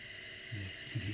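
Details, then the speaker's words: Multitech MPF-III 310 Apple II clone, original floppy drive on disk port 1 after cleaning, lubrication and head cleaning: quiet steady motor whirr with faint hum, stays spinning; owner thinks normal but unsure, untested without a boot disk. "dis Drive spinning there and that stays spinning I think that's normal but I'm not 100% sure the state of this drive"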